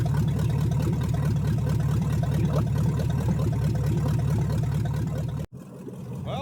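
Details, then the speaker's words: 1970 Chevrolet Chevelle V8, freshly reassembled field engine, first start, choke off, timing hand-adjusted: rough lumpy idle with an uneven stumbling lope, like one cylinder not firing; cylinder misfire at idle, cause not pinned down. "It sounds okay. Still got a miss, it sounds like. Still sound like we're down one cylinder, but I'm going to call this a win."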